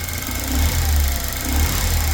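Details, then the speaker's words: Saturn Sky Redline engine heard running for the first time after rebuild with about $600 of parts; smooth, even note rising and falling cleanly with throttle, no knocks or misses; running successfully. "oh yeah listen to that that's what I call success success yeah"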